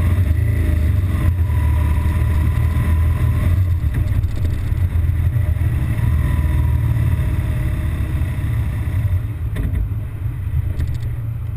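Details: BMW R1200GS Adventure, intermittent fault in traffic after about 20-mile A-road run: low, lumpy idle wavers and hunts with a stumbling rhythm threatening to stall; rough idle, cause undetermined.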